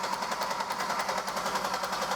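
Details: Buick LeSabre 3800 V6 that sat for a long time: steady, fast starter cranking that never catches or fires. Spark tester shows spark, so the fault is fuel delivery, found to be a failed fuel pump.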